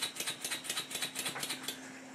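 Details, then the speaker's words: Stuart 10H model steam engine, first test runs during running-in, slide valve not yet properly set, crankshaft still bent and engine a bit tight: light, quick, slightly uneven ticking at about ten beats a second; valve timing retarded. "The timing is quite retarded, and I could do with doing something about this, but at the moment I'm just playing with it."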